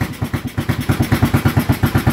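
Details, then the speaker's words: A Honda TMX 155 that had been hard to start (50+ kicks) and had a drained battery now starts and idles with a steady single-cylinder thump at about eight beats a second, through a noisy exhaust: normal idle. "Singaw. Ayan mga bro, mandar na yan."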